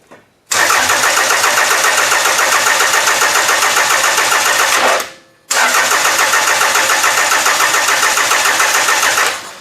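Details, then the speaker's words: Toyota engine in a demolition derby car, aftermarket harness, spark arriving only after a delay: two long bursts of fast steady cranking, about three and a half turns a second, never firing; cranks, no start, harness suspected. "it is like a delayed a delay in getting the engine to give spark I've never seen anything like this before"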